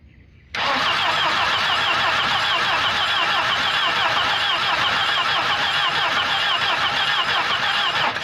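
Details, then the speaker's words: Volvo 240 that sat in the woods, spark plugs cleaned and reinstalled: fast, even starter churn of about three to four beats per second, steady throughout. Cranking normally with good compression. "sounds like we got compression I think this sucker will run what do you think"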